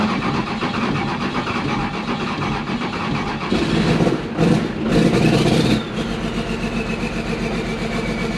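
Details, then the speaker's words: 1990 non-intercooled 12-valve Cummins diesel truck just started after fuel pump wiring: steady, even clatter with brief louder throttle bursts and no knocks; running good, normal. "all right we are started up yes sounds like it's running good"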